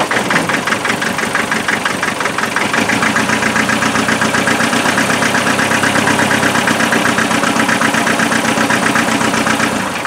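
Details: Land Rover 2.5 naturally aspirated diesel with a misfire; thermal camera showed one cylinder cold at the rear, and the injectors were later checked for spray pattern: uneven, lumpy idle beat of roughly 2.5 pulses a second; misfire at idle.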